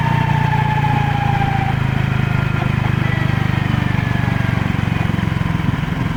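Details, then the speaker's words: Used Honda PCX (JF56) scooter: fine accelerating, faint whine dropping in pitch each time throttle closes; metal fragments found in final reduction oil, broken gearbox countershaft bearing, fixed by bearing replacement; gearbox bearing whine on deceleration. "加速中は問題ないのですが、減速するときに異音がします。"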